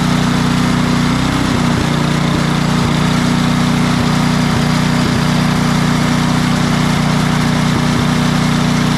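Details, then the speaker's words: Craftsman 28-inch snow blower, Briggs & Stratton 11.5 hp snow series engine, after bad fuel cleaned out and new carburetor fitted (previously surged off choke, died in snow): even, steady single-cylinder beat, no surging; running properly. "the difference in running between what it was just doing and what it will do now that we've got it all cleaned out of that bad fuel got a new carburetor on it something that's going to give us a good running unit"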